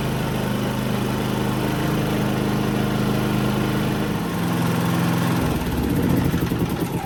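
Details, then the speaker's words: Harbor Freight Predator 3500 inverter generator cold start after maintenance with new NGK BRP spark plug (gap about 0.030–0.031), carbon cleaned, not fully reassembled; hums steadily as choke comes off, runs cleanly. "up a cold start pretty pretty well with that new spark plug with the uh the BRP ades"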